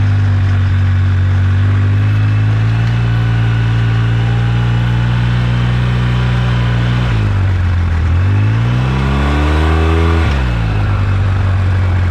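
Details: 2009 Polaris RZR 800 S: engine revs up and drops back with a low rough rattle from the rear rising with speed; owner suspects differential, pinion nut or a CV joint/axle, unconfirmed; rear end rattle.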